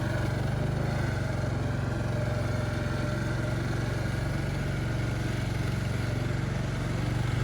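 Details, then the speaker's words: Craftsman LT1000 yard tractor that seems to have been sitting, creeping along: strained, labouring low drone under steady heavy load with no free-running sound; gears sound locked up, owner hopes it clears. "I mean I think whatever's going on in it is gonna clear up it sounds like the gears were locked up"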